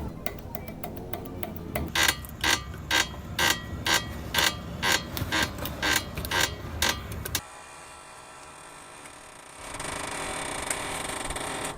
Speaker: el siguiente son las rótulas este elemento permite el giro de las llantas y cuando está dañada se escucha